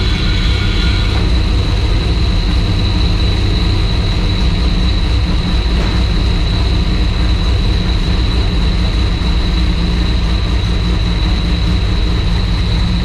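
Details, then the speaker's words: Turbo V6 Ecojet build being readied for the dyno, idling after an oil and filter change while checked for oil drops: deep, smooth, even idle rumble with faint steady high whine on top, no knocks or misses; clean idle. "we'll leave this video with me starting it i'm letting it idle for a bit as i park it back to where it needs to go and then seeing if there's any oil drops"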